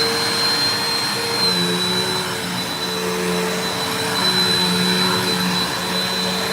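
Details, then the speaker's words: Mystery vacuum fitted with a replacement motor bearing from another vacuum, running: steady roar with thin high whine and wavering mid tones that does not sound normal; possibly the worn or mismatched motor bearing, owner later judges motor not shot. "That did not sound normal. Hold on."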